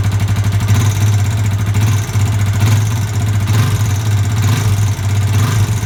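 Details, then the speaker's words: Yamaha Vixion (old model, same engine as Jupiter MX), radiator removed: a tapping clatter that rises with the throttle. It comes from a worn, undersized piston slapping in a worn bore. "ini suaranya piston ini piston yang bodol"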